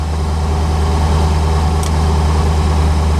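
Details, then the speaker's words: 1985 C4 Corvette V8 idling cold at 14 degrees after a won't-start fault traced to a poorly connected negative battery cable. Deep, steady rumble with an even beat and no knocks or misses; oil and coolant temperature still too low. "But now, it's working. And as you can hear, running. Battery's charging, oil pressure's good, RPMs are good."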